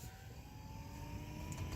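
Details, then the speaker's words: 2011 Toyota Sienna with a newly fitted cheap replacement HVAC blower motor (old one squealed, bearing suspected): a thin, high steady whine over the fan airflow, rising slightly in pitch; owner plans to return it; blower motor whine. "so I could hear a motor sound it's kind of annoying it's like this higher pitch motor sound"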